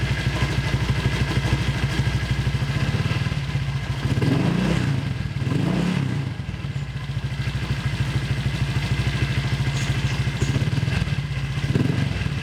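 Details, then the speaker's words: Honda Vario with a newly fitted cheap CMS copy exhaust: fast, uneven puffing chuff on idle that swells with each throttle blip; the header (leheran) joint is leaking, to be patched with a pot-mending patch. "Oke cuy, itu dia masih bocor sih di bagian leheran, mungkin bakal gue benerin dulu nih cuy. Si bagian sambungan leheran itu agak bocor cuy, jadi suaranya agak bocor gitu cuy."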